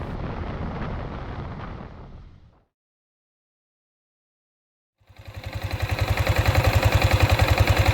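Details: Yamaha Sniper 155 VVA motorcycle, seven months old, engine running. After a short gap it settles into a regular pulse of about 3.5 beats per second, steady with no knocks.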